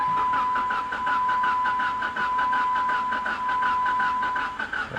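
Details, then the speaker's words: Salvage-auction car, 198,000 miles, cranking on a battery pack: uneven drag with steady high whine, never catches, sounds like hitting on one cylinder; suspected no compression or blown head gasket; uneven cranking, no start. "shingle fire no we're spinning our wheels here it sounds like it's hitting on one cylinder yeah we're just burning up our battery pack here"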